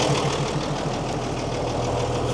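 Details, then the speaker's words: Mercedes-Benz 911 4WD diesel truck just after its first start in many years, after the fuel system was bled and primed with a few pump presses. Even, steady idle with no misses, knocks or rattles; oil pressure is up. "Couple of presses of that bloody thing and away she went. That's unbelievable. Far out."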